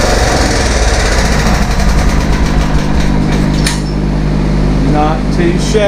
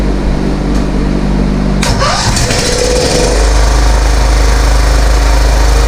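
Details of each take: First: 15.5 HP Kohler single-cylinder engine from a scrapped Craftsman rider, run after new oil filter, air filter and fuel line: even drone with no misses or knocks. The screeching on top was likely mud dauber nests burning off; normal running. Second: Kohler 15.5 HP engine from scrapped Craftsman rider, first run after fuel line fitted: cranking, brief scraping screech as it fires, then steady thumping idle; screeching likely mud dauber nests thrown out at start-up.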